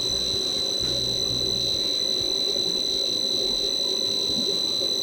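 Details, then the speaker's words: Sharp PC-1251 on its CE-125 tape/printer base, saving a test program to cassette: a clean, steady high-pitched leader tone holds without wavering or dropouts, a normal save. "So that'll be the long uh leading tone. The actual program"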